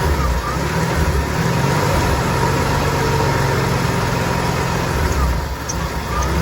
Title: Inline6 300 Rough Idle